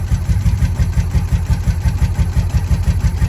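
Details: 1983 Honda V45 Sabre VF750S motorcycle, after sitting outside, starting once its starter button contacts were cleaned. Steady, even low burble pulsing about three times a second, no knocks or misses; a healthy idle.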